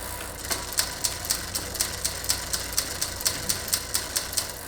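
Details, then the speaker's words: Bicycle rear derailleur with the high limit screw over-tightened: light metallic ticking about twice a second while pedalling as the chain rubs the next inner cog. It is fixed by loosening the screw a quarter turn at a time until the noise stops. "این پیچ محدود را تا زمانی که به عقب برگردد عقب بکشید و سروصدا زیاد ایجاد می کند با شنیدن صدای زیاد ، شروع به شل شدن می کنیم یک ربع به نوبه خود در یک زمان تا زمانی که سر و صدا از بین برود."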